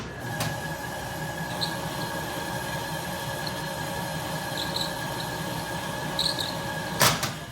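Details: 1967 Logan model 1875 lathe on a Phase-a-matic static single-to-three-phase converter at 240 V, auto-feed running: a steady hum with even tones and a soft low rumble, one clunk near the end. Normal auto-feed running.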